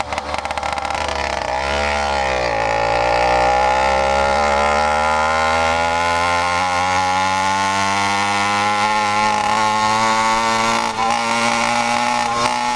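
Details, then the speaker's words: 100cc PK100 two-stroke motorized bicycle engine, rebuilt with a new iron-sleeved 49mm cylinder, on break-in with a needle setting it doesn't like: crisp buzz climbing cleanly in pitch under throttle with no misses or rattles; healthy revving. "She revs. She still had more."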